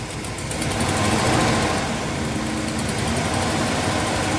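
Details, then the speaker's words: 1979 Little Red Express with new engine, not fully tuned, hot idle at about 185 degrees and 50 psi oil pressure, AC on: fast faint puffing tick over a rough loud idle from a newly found exhaust leak at the head. "You hear our exhaust leak. That's okay."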